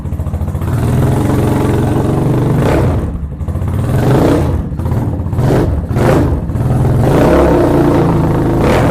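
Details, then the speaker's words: Venom Ghost Chopper 250 with a multimeter on the battery: the single-cylinder idles with a steady low thump, pulls up cleanly through several quick revs and settles back; it sounds healthy and the charging system is fine. "And as you can see, my charging system is perfect."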